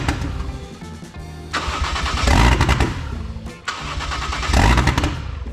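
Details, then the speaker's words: 1JZ-GTE VVTi swapped into Lexus IS300, first start attempts: cranks and catches twice, rough and uneven a second or two, then dies each time; stalls because the MAF sensor is unplugged. "so it's starting watch your phone it's running for a couple seconds kind of sounds like crap and it's just dying it's it's honestly really weird what it's doing"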